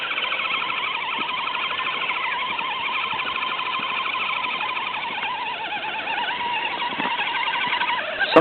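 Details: FTX Kanyon RC crawler after swapping the stock 60T motor for a 35T with a smaller pinion, gear mesh set and freshly greased: a wavering high-pitched squeal at low speed over the running drivetrain; cause unknown to owner.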